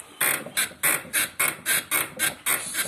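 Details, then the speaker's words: Mitsubishi Outlander rear suspension being rocked: quick repeated high squeaks, three to four a second, from the rear camber arm on one side only. "Что у нас здесь скрипит? Вот этот рычаг. Вот этот рычаг. Скрипит."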